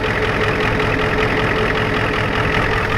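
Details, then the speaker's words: Ford F250 7.3 IDI diesel, cold start at 12°F above zero, weak batteries (owner says battery bad), now at steady idle with even clatter, no knocks or misses; runs well, four-wheel drive works; normal diesel idle. "i said the battery was bad i'm gonna definitely let it run for a while anyway"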